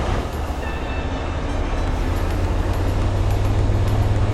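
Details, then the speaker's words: 2018 Freightliner Cascadia with Detroit DD15 diesel, parked, forced DPF regen started from the OTR Diagnostics app: steady deep rumble with idle speed climbing smoothly and slightly louder as the engine raises rpm for the regen. "So as soon as we hit the start button, we're going to hear the RPM increase on this Freightliner."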